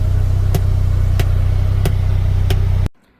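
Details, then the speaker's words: Polaris Ranger XD 1500 Ultimate idling: sharp, evenly spaced pops about every two-thirds of a second from the speakers; dealer found the audio amplifier faulty and replaced it under warranty. "Alright, we got the popping issue fixed. So, took it to the dealer. They got it right in, bumped me ahead of the line. And it turns out that it was the amp on the machine."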